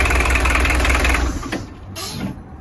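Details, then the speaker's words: Peugeot 205 diesel cold start, car left standing since early afternoon, after replacing glow plugs for two mornings of hard starting: catches quickly, settles into even clatter; cold start now normal, fault fixed. "Bon. Opération terminée. C'était bien ça, hein. Bon, en même temps, problème de démarrage à froid sur un diesel, c'est vite vu, hein."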